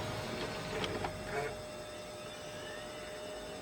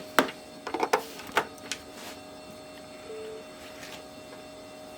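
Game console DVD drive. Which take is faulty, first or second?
second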